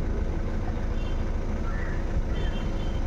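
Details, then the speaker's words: Honda Amaze diesel after socket replacement fixed misfire (P0203 injector fault), vibration and low pickup: low even diesel rumble, no stumble or skipped beats; normal idle after repair. "मैंने गाड़ी start कर दी है और missing का problem था solve हो गया है रेस भी हो रहा है बराबर"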